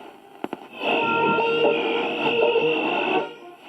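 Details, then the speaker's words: 1960 GEC BC505 transistor portable radio after cleaning and repair, on long wave: plays clean and steady with light hiss and faint interference from RF noise on the bench; reception healthy. "So long wave is working as well. It's just a lot of noise here on the bench, a lot of RF, which isn't ideal"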